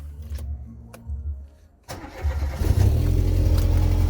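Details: Opel Corsa C utility with the 1.8 8-valve SOHC petrol engine, first start after water pump replacement, temporarily filled with water and on the old fan belt: a short crank catches at about two seconds and settles into a steady, even idle. A clean, healthy start.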